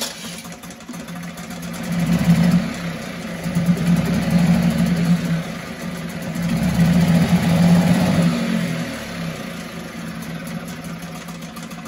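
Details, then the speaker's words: 1974 Mercury 4 hp single-cylinder two-stroke outboard, Thunderbolt ignition, pull-started with choke accidentally left on: pulls over, catches, runs rough with rising and falling note, then settles; 50:1 fuel mix, possibly a little rich; healthy start and run, pumps water properly. "this thing runs as good as I guess it as it was when it was new thing just runs like a top pumps water like a like it should it's doing everything it's supposed to do"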